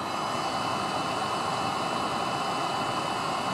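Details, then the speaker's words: Webasto diesel heater from a Peugeot 806 HDi, used as central-heating boiler in a bus-camper conversion, restarted after dismantling, degreasing the oily heat body and cleaning the glow plug: steady strong roar, no sputtering, now sounds different and burns cleanly. "et là on a remis en route et fait pas le même bruit et l'ail là il envoie du steak là ils envoient"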